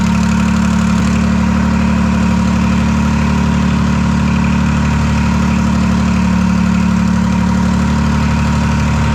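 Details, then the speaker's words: Detroit 3-53 two-stroke diesel first start after 25 years, camshaft reversed after a backwards install in its 2000 rebuild: loud, steady unmuffled idle with even rapid beat, no exhaust fitted, no knocks or rattles. Normal idle. "yeah, she's running really nice."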